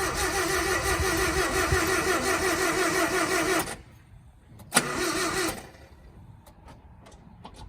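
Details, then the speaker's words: Japanese mini truck after rebuild with new timing chain cover, oil pump and distributor refitted: starter churns engine evenly almost four seconds with no catch; owner first suspected fuel; crank no start. "That's so depressing. Essentially, the truck's not starting."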